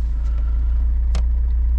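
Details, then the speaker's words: Chevrolet Niva warm at 81°C, idling about 840 rpm after an air leak found with a smoke generator was fixed: deep, even idle pulse with only a slight wobble; idle is now much smoother than before. "Ну слушайте конечно ровнее ровнее стал работать"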